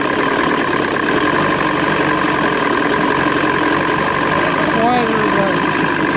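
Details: 1986 Johnson 90hp SPL outboard restarted in a water tub with the front air silencer/box fitted, after link-and-sync, timing and carb restoration. Steady buzzy idle, no misses or surging, running cleanly. Owner suspects it needs a new fuel pump.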